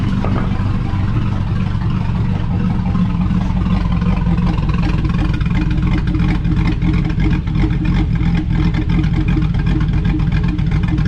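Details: GMC Sierra 5.3 LS V8 (stated as 2005 or 2006) running on first startup after a broken lifter was fixed with a BTR Truck Norris cam and LS7 lifters, no muffler: loud, deep, even rumble, steady firing, no ticking or knocking; healthy.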